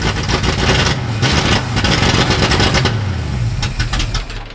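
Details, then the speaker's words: 1960s Ford Galaxie V8 project, timing advanced, in park, carburetor with freshly rebuilt kit: uneven, lumpy idle with irregular stumbles and surges; running rich, suspected blown carburetor power valve. "I think the power valve's blown out of that carburetor. It's brand new."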